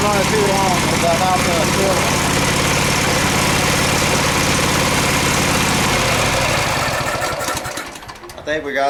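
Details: Craftsman FS 5500 lawn tractor just after carburetor cleaning and reassembly, started with choke: small engine runs smoothly and steadily for about six seconds, then shuts down. Sounds healthy with no misses or surging.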